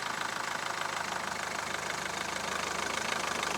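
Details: Mahindra Verito diesel in reverse with brake held: even idle pulsing about four times a second with no clunk or rattle; engine sitting quietly on its mounts.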